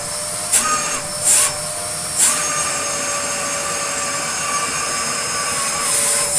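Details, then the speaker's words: Restored Dyson DC02 De Stijl vacuum running with hose fitted: high steady motor whine with brief airy surges as airflow changes, whine stops when blocked; normal, characteristic DC02 whine. "don't know what it is about DC02s, but they have a very specific sort of whine to them. Because yeah, you can hear it when it's on, but as soon as I've blocked the thing up, it doesn't do it."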